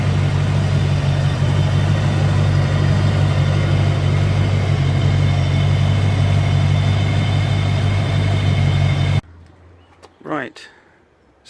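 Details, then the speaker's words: Land Rover Discovery 1 3.9 V8, first engine start in eighteen months: deep, loud, steady burble with heavy low drone and no muffling, because a delete pipe is fitted in the exhaust. "just so you know as well the reason it sounds like it does is because I've got the delete pipe"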